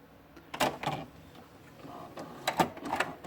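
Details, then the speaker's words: HP Deskjet F4480 printer that jams paper, after cleaning its dirty encoder strip: short scraping clatters come in bursts as the carriage travels; the misaligned print carriage is catching on the printer housing. "vou ligar aqui ó para o ela tá pegando o carro de impressão na carcaça da impressora ó"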